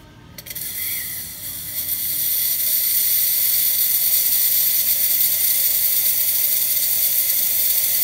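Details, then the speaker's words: Quick Mill Silvano Evo espresso machine, brought in for low brew pressure; pump was silent though power reached it, so the pump was replaced; the new pump gives a steady pressurized water hiss with no stutter, working normally. "so most likely Falls as a pump and we replaced it and it's working just fine so let's test it out"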